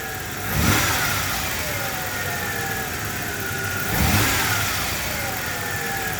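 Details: 1990 Ford Ranger XLT 4x4 SuperCab, 2.9 engine: revved twice, a faint whine rises and falls in pitch with engine speed over the roar; source not pinned down, cause unconfirmed. Valve-train tick mostly gone after oil change with Marvel Mystery Oil; starter failing.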